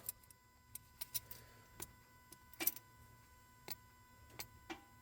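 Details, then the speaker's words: 2011 Lotus Evora S with a used Capristo valved exhaust and CES3 controller just installed, ignition on, engine not yet running. Faint, sharp clicks at irregular intervals, one with each remote button press: exhaust valve solenoid switching normally. "hear that faint click. So that's the solenoid. So all sounds good."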